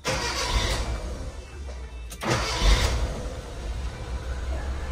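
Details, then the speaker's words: Carbureted car, hot, restarted after one press of the throttle: short crank, catches, runs rough and high before settling, needing throttle to normalize; mechanic attributes hard hot starting to the carburetor setting. Hard hot starting. "Ya, settingannya memang kalau karbunya yang seperti ini memang nggak terlalu mudah ya, atau tetap agak sulit teman-teman."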